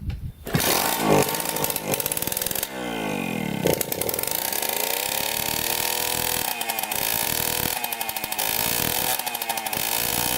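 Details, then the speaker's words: Suzuki JR50 two-stroke run with the exhaust pipe disconnected; it revs freely in sharp rising and falling revs with no bogging, showing the clogged, carboned pipe caused the bogging. "so as you can hear it really rubs out now so obviously the pipe is clogged and we need to take off the pipe now and clear it out"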